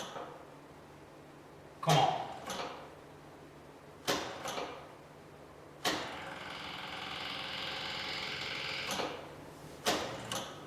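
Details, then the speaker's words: 1972 Saab Sonett, overhauled engine unstarted for perhaps a couple of months, now with fresh battery and more gas: several short starter bursts, then a three-second crank that never catches; hard starting, cause not confirmed. "it's been a couple of months I think since this thing has been started but ah it's a quality Swedish car so it should start right if the starter would like to turn"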